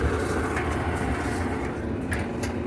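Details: Whirlpool gas clothes dryer after repair and reassembly: steady low drum rumble, even, no squeal or thump; one drum fin still missing, runs normally.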